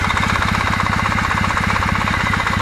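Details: Kawasaki W650 twin at idle: even, steady beat with no gear knock or tick on top; cam drive gears sound quiet and healthy.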